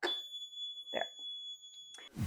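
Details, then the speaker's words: Water leak alarm under a newly re-plumbed kitchen sink: a thin, steady high-pitched squeal for about two seconds over handling rustle as its two contact points sense water, working as designed. "When they get in contact with water, they make a high-pitched sound. If you have a leak and this is under there, you'll hear a sound early."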